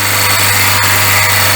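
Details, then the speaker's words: VW Gol engine noise when accelerating; harsh hissing scrape over steady engine hum; timing belt found rubbing, soot from the belt, touching the edge near the water pump. "mas tá com barulho quando acelera"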